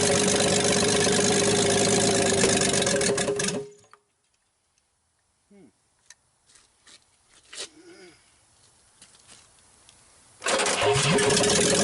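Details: 1960s Rambler 195.6 engine, first start on choke, oil full: rough loud running with a hard regular knock about three or four per second, then it shuts off; heavy knock inside the engine, long-standing, cause not confirmed.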